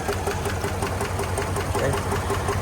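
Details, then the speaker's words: 2022 Chevrolet Suburban V8, towed in with flashing check-engine light and scanner counting cylinder 7 misfires; at idle a quick, sharp, steady ticking in the engine, later traced to a failed lifter and bent pushrod on cylinder 7. "al golpeteo en el motor. No sé si logran escuchar. Entonces más yo apunto a lo que es el el problema dentro del motor."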